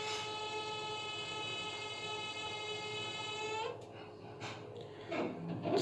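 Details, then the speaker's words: Baxi gas boiler in hot-water mode: steady, piercing whistle/squeal from the three-way valve, whose rubber seal had loosened, swollen and lost its properties; extra pump pressure on the valve seals blamed. "так и так жалоба состоит в том что котел издает неприятный звук виде визжание и меня свиста"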